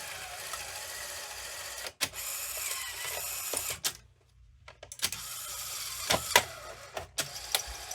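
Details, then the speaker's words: Sony SL-2710 Betamax VCR ejecting a tape: whirring mechanical eject with clicks, a pause, then uneven labouring clunks near the end; eject mechanism straining, cause unknown, owner suspects it needs lubrication. "That little struggle at the end, not sure what that's about. Maybe it just needs some more lubrication or something, but hey, you know, it's still working."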